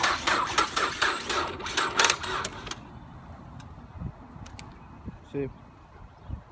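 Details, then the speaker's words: 2006 Ford Fusion, crashed and bought at auction without keys, not starting from the key; starter bypassed with a wire on the starter bolt: steady cranking about four turns a second for under three seconds, motor spinning freely. "This one, I put a wire on the bolt, as you can see right there. And let's see, you can hear the motor."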